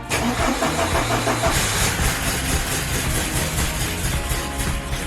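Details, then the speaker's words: 1987 Porsche 944 first start after about 3 years sitting, no throttle: engine catches and runs lumpy, sputtering and stumbling like an old tractor, struggling to settle to idle; rough running after sitting, cause unconfirmed. "All right. Sounds like an old tractor. It's getting there."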